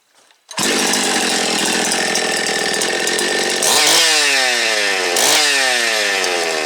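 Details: Restored Jonsered 2171 chainsaw, first start after reassembly: fires on the first pull into a clean, steady high-pitched run, then two crisp throttle blips rising and falling smoothly. The saw sounds healthy, normal running.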